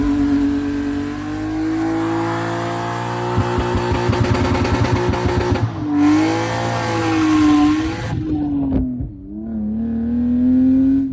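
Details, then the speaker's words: BMW E36, nearly 30 years old, after fixing a misfire by replacing knock sensor, coolant temp sensor, MAF, coil packs and spark plugs: revs climb and fall smoothly with a clean, even note, no knocks or misses; runs and drives great. "Uh, but yeah, I hope you guys enjoyed the long process of trying to figure out what the hell was wrong with this thing, but it is done now. It runs and drives great"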